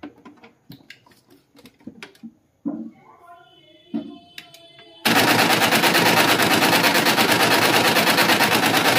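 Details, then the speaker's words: HP LaserJet 202n making heavy noise whenever it prints: quiet clicks, then a loud harsh rattling grind at about three beats per second. The drive gears are worn or cut and need replacing after opening the printer. "So friends करने लगे तो आपके printer के gears जो है वो बेकार हो जाते हैं कट जाते हैं"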